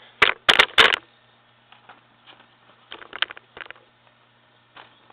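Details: IBM Selectric I typewriter, 12-pitch, rebuilt with parts from another machine, running without ribbon: a few quick bursts of sharp clattering type strikes, then light mechanical ticking; typing normally.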